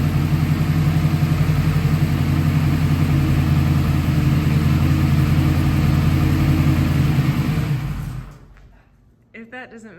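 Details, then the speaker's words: Project car being moved between shops: steady low throaty idle, even and smooth for about eight seconds before shutdown; sounds healthy. "that doesn't make you smile, I don't know how to help you, but that's just a beautiful noise."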